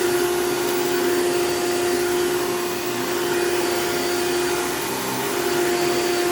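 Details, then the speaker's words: $9 vacuum running with its existing paper Bissell Style 7 bag fitted: steady, even mid-pitched motor hum, no rattles or surging; runs smooth and healthy; it leans back, possibly from broken motor clamps. "So, actually runs pretty good. Very smooth, actually. So, very happy about that, considering I only paid $9 for it."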